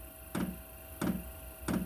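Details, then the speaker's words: Newly installed garage heater at start-up: crisp even clicks roughly every two-thirds of a second over a faint hum as the dosing pump meters fuel before it fires; normal fuel pump clicking. "That's the pump. You can hear clicking. Pumping the fuel."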